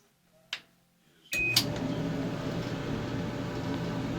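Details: Maytag HE dryer MED9700SQ0 test run after repairing a screeching noise and reassembling the front cover: steady, even low drum rumble and airflow after the door thump, with no squeal or scrape. The dryer runs normally.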